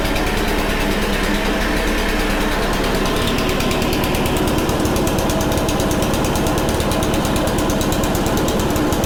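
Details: Honda HRC216 commercial mower after drying out, on choke, cold outside: small single-cylinder popping along at a fast, even beat, no misses or knocks; runs normally, though throttle cable not working.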